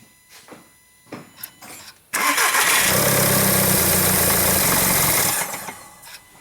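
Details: 2009 VW Jetta TDI, CBEA diesel, no codes, EGR check: a few clicks, then the engine catches and runs evenly about three seconds before dying; stall caused by a clogged DPF choking the exhaust.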